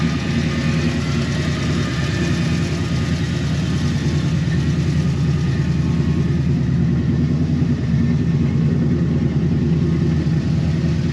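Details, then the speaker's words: 1957 Chevy 210 barn-find V8, long-sitting, revived for a 600-mile drive: started easily, steady even low idle rumble with no misses, knocks or hunting; normal idle. "I mean, as you can see, it's even idling a lot better. It's just all around. It's running really well."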